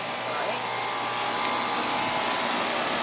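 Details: 2.5-ton AC condenser after fixes for a noisy humming contactor, a burnt compressor wire that tripped the breaker, and cleaning, with superheat around 9: an even fan rush over a steady hum, no rattle or buzz, running normally.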